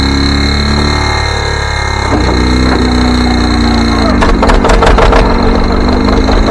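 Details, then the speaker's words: John Deere 720 diesel pony start engine with the rear two plug wires off, running on two of four cylinders before new ignition coils are fitted: an uneven, lumpy putter with a gappy firing rhythm, yet it has enough power to start the diesel. "so we're only running it on two cylinders but believe it or not it's got enough power to to start the engine up"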